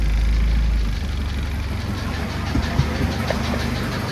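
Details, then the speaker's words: Engine knock heard while driving, with a remark about too much oil pressure just before; uneven low knock about three or four a second under road rumble, owner suspects internal engine problems. "Uh-oh. Sounds like we might have internal engine problems"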